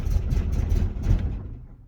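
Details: 1969 VW Beetle, started with a little gas: low rumble then fades and dies within a second; stalls at idle, owner thinks idle adjustment is off.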